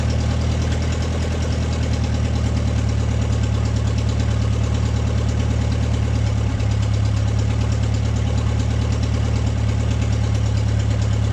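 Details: Deep, even idle with a steady low throb and no knocks or misses from an MG pulled from the woods, at its first start in 22 years; it runs smoothly without the choke.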